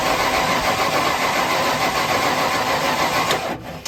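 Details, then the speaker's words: 1995 Ford Bronco parked for years, fuel pump burned out, fuel pressure only 30–38 while cranking, regulator suspected: starter churns at about three to four turns a second without catching, then stops; computer problem suspected. "right now it's about 38 you want cranking I'll look at it just staying at that 30 35 38 it ain't going to run for you it look like"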